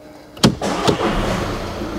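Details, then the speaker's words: Volkswagen Passat Estate 1.6 diesel, about 68,000 miles, first start: short crank catches at once and settles into an even diesel idle without hesitation, no warning lights; normal cold start. "so it starts up fine no lights i'm not leaving it running because it'll smug out my unit"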